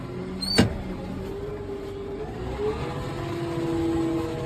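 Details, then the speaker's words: 2024 Case IH Magnum 280 AFS Connect tractor with powershift transmission, fired up on a cold day: sharp clack, then low, even idle with soft steady drone and no knocks or misfires; nice-running normal idle. "nice running tractor. I don't think you'd be displeased with this one at all if you come look at it."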